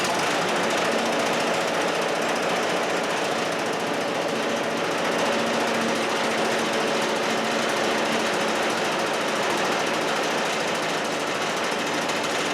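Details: Chinese walk-behind track dumper bought broken at auction: small engine gives a fast, busy clatter, ticking over steadily in neutral and holding speed without faltering; runs fine.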